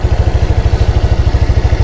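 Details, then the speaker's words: Honda Click 125 V3 scooter after repair: fast, steady idle with low even thumping, no stumbling or dropouts; earlier knocking, hard starting and stalling in traffic resolved. Idle RPM still to be compared with a Honda Click 150. "Ayun oh maganda na yung tining ng kanyang andar at saka yung lagutok dito Wala na pinong-pino na yung kanyang andar at saka hindi na rin siya hard starting"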